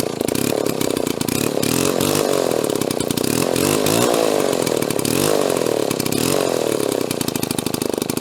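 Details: Restored Mall 12A two-stroke chainsaw with gummed carburetor, carb tuning not 100%: steady buzzing fast idle with a slight waver in speed, otherwise running cleanly.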